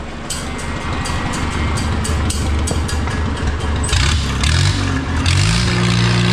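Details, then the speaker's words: Oliver 66 tractor after replacing Marvel Schebler TSX carburetor: steady even idle that picks up cleanly when revved, no stumbling; runs much better and loads up far less than the old carb, slight gray smoke; normal running. "I don't know if any of you guys can tell the difference just from different videos, but I can tell you right now, that new carburetor, it runs a lot better."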